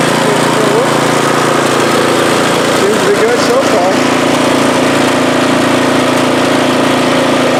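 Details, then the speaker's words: MTD snowblower after swapping in the engine from a second junk machine (original engine had no compression), primed and pull-started, cover not yet on: steady, even single-cylinder drone at constant speed with no misses or knocks; running good. "I'm gonna put that cover on here seems to be running good"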